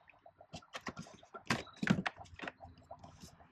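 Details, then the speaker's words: 2017 RAM Cummins 6.7L diesel coolant change: irregular wet gurgles and drips as the third gallon of Mopar 10-year coolant and distilled water is poured in, trapped air purging during fill. "now you can hear it gurgling right now purging all that air"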